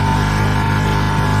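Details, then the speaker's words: Combination microwave and range hood running its hood fan: a loud, steady droning hum as the top vent, back and liner panels resonate; the microwave side is quiet, and fan-mounting screw tightness affects the noise. "哎呀，好大的噪音呢！这款微波炉啊，有噪音呢。"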